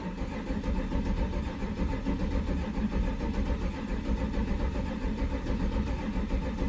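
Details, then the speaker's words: 1993 Chevrolet C1500 Silverado with swapped-in Corvette LT1 V8, fuel pump heard priming after cycling the key: low steady starter churning for about seven seconds without a single firing; cranks but no start. "didn't work let's see okay something's not happy I'm going have to go take a look"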